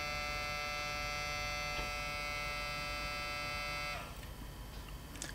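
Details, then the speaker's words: Floppy drive in an old Toshiba Satellite Pro CDT440 laptop, disk inserted; thin steady motor whine for four seconds then stops with no seek clicks or reading, drive faulty. "now that doesn't sound good so there is something wrong with the floppy drive"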